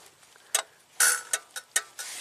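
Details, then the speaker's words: 2002 Buick LeSabre 3800 V6, 210,000 miles, A/C compressor not kicking on: sharp irregular clicks, about five in two seconds, engine off; clutch snapping in and out from a loose, spread, slightly melted GM connector terminal at the clutch. "look that's it we just have a bad connection right at the clutch see it's kind of loose so I'm going have to tighten that pin up and it should be good to go"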